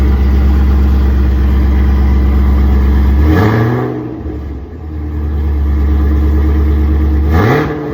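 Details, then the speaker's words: 2022 Chevrolet Camaro SS V8 after exhaust leaks between headers and rear exhaust were fixed (previously smelled fumes): steady idle with two clean revs, no ticking or puffing; exhaust sealed and healthy. "Sound a little better. He said he ain't see no more exhaust leaks or anything."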